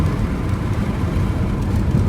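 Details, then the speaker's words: 2003 Toyota Corolla after cylinder 2 misfire repair, warmed to operating temperature on test drive: steady smooth engine drone with no hesitation, stumble or surge; normal running. "no hesitation no stumbling everything seems to clear up and it's back in good health"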